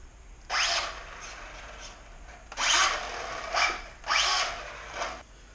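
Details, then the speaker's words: Traxxas Slash 4x4 RC truck at full throttle: sharp high whine rising in bursts with each throttle punch, then fading. Spur gear no longer works; owner suspects a chipped tooth that ground the rest. Unconfirmed. "so those noises um you know normal that was like full throttle"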